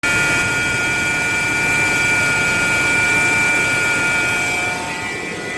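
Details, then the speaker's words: Steady high whine over the engine note, pitch constant, traced to the 17-year-old original alternator; alternator whine. "There's a set of cables here that goes right into the alternator, as I've talked about before, but that's definitely where this sound is coming from my 17-year-old alternator."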